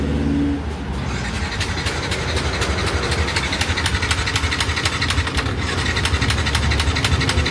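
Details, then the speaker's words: Yamaha Nmax with 62 mm piston; cranks weakly without starting, single spinning easily at about four beats a second. Coolant pushed out, radiator never topped up in two months; overheating suspected. Leaking valves cause lost compression; piston or crankshaft damage also suspected. "ซื้อเสร็จปึ๊บรถกลับไม่ได้ครับสตาร์ทไม่ติดกำลังอัดหายนะครับสอบถามเบื้องต้นนะครับคือสตาร์ทไม่มีแรงนะครับ"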